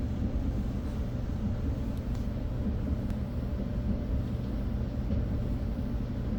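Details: Whirlpool dryer running normally: smooth, even low rumble with no knocking, scraping or rattle.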